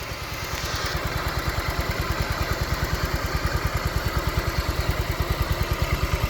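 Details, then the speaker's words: 2012 Honda Vario KZR 125 used scooter, engine heard up close at idle: steady, even putter, no knocks or misses, still smooth and good; no smoke or oil seepage; normal healthy idle. "Oke, sekarang kita coba dengar suara mesinnya dari dekat. Ini mesin suara mesinnya masih halus, masih bagus nih,"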